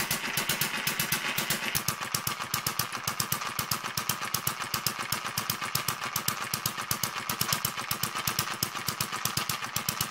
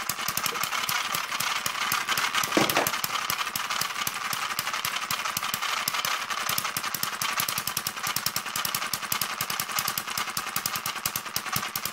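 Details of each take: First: Newly finished Kerzel hit-and-miss model engine, water-cooled with spark ignition, still running in with a stiff governor and tight, noisy gears. Crisp, sharp firing clicks at a fairly quick, even pace. Running steadily during break-in. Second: Newly built Kerzel hit-and-miss model engine, still running in: fast steady mechanical clatter over the running engine; new gears still tight and noisy until they wear in, governor and exhaust mechanism stiff.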